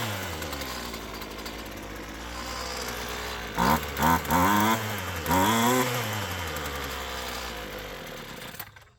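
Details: Roadside-found Poulan Pro PP28 two-stroke string trimmer, primer bulb full, full throttle with ether sprayed: surges up and down in uneven bursts then fades out; runs only on starting fluid, cause suspected not confirmed.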